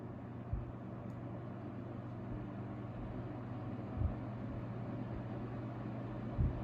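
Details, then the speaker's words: 1970s Super 12-inch box fan before restoration, running on low: full, deep, steady rumble with a low hum and a couple of soft bumps; well balanced, runs evenly and sounds healthy. "it's got a nice a full and deep Rumble to it as it runs which is very pleasing to the ears very well balanced too"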